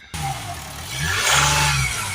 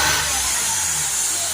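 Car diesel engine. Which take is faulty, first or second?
second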